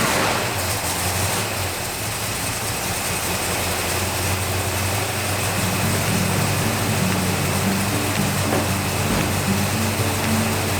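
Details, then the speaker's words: Ford Mustang Mach 1 after a carburetor change, new fuel filter and priming electric fuel pump: even, steady low idle with no misses or surging, adjusted to about 850 rpm against the factory 1000 rpm spec for manual with AC. "I messed with the fuel settings and got the RPM around 850. Factory says 1000 RPM on standard transmission with AC and single point distributor, but it sounds good at 850."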